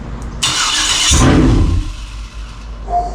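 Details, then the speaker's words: 2003 Yukon 5.3 L LS swapped into a 1994 Chevy C1500, first fire on the engine stand after connecting a missed ground wire: rough burst of firing on all eight for under a second, then dies; starts but won't stay running. "scared and that sounded like it's firing on all eight right there [Music] that sounds nasty good it won't stay running"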